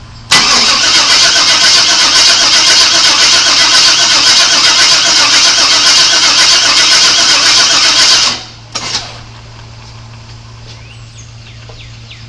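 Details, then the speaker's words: 1997 Chevrolet Suburban that sat for years, after a slight timing adjustment and re-priming the fuel pump: steady cranking at about four turns a second for eight seconds that never catches; gas smell present, spark not yet checked. "no it doesn't seem like it's trying to do anything I don't even know I can smell gas tells me it should be doing"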